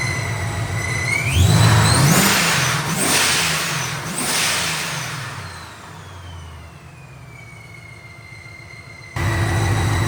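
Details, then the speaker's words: Supercharged engine with its ESS G3r supercharger back from ESS after being sent in over a questioned clanking noise, revved after a long drive: a clean supercharger whine climbing and falling with engine speed, no clanking. Normal. "Well, I think it's doing pretty darn good."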